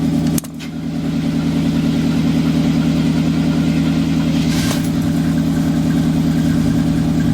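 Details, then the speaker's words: Blazer just started, left to warm up: catches quickly then settles into a smooth, even, barely audible idle with a soft steady pulse, no knocks or ticks; normal idle. "It's running. You can't hardly hear it. We'll let this one warm up a little bit."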